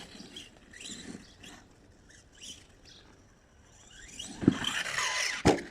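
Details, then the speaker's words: Kyosho Mad Van brushless RC car running at speed and jumping: sharp plastic clacks over motor whine, loudest on landing, from play in the front body shell clips; rear doesn't rattle as the wing is fitted. "En fait là ce qu'on entend claquer c'est la carreau parce qu'il y a du jeu dans les clips de la carrosserie à l'avant, il y a un peu de jeu sur l'avant."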